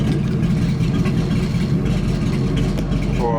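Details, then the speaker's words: Ford Mustang idling unevenly with a stumbling beat and occasional pop/click, whole car shaking; misfire at idle, before spark plug and ignition coil replacement. "There it is. There's the misfire. Yep, there's the misfire 100%."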